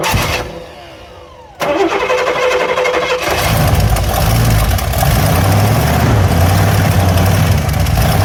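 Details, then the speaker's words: 1970 Cadillac Eldorado after a manual choke conversion and an exhaust leak "fix" at the rusted-through choke stove plate; engine catches and settles to a fast idle with a faint puffing tick; exhaust leak remains but is much less than before. "Works pretty well. Still has an exhaust leak, but it's a lot less than it was."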